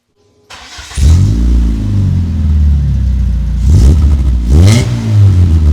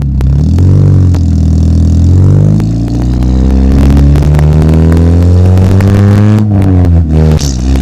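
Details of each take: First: Dodge Neon exhaust: deep boomy note rising and falling through throttle blips with a low drone under each rev; it sounds worse with the muffler fitted than without. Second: Dodge Neon after welding in a new exhaust with no muffler, mic placed at the exhaust: strong, clean rev rising and falling with a deep, throaty low note and slight raspy edge; sounds much better, modified exhaust tone.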